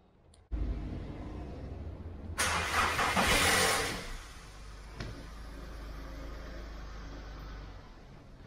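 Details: 2011 VW Polo 1.2 with full service history, cold start after sitting: cranks and catches with a rough, clattery rattle for the first seconds of idle, then settles; timing chain rattle on cold start only.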